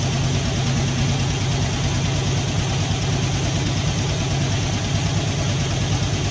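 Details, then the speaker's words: Poly 318 V8 in a 1964 Dodge D300 at idle, smoke from failed valve cover gaskets on the manifold: light fast lifter clicking over a slightly uneven beat with a small stutter. "so it's got a little bit of a stutter to it you can hear you know you can hear some clickity clacking from the lifter"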